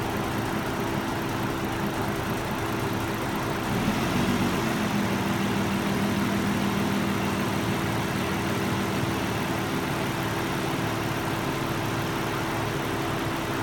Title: Murano rough idle